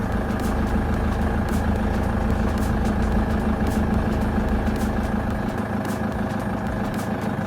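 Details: LTI TX2 taxi, 2.4 L Transit diesel i4, cold start after about three weeks sitting, glow plugs cycled. Steady diesel clatter at about two hundred beats a minute, even and unbroken; healthy idle.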